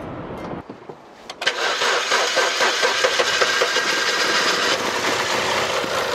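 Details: Imported car after replacing a cam angle sensor that caused a no-start, fitted with a trimmed sensor connector and fault code cleared: starter whirs briefly, engine catches at once and runs evenly; clean start.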